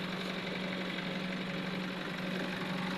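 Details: Diesel engine at idle with a slightly uneven knocking beat about twice a second, diagnosed as a misfire using a diagnostic computer.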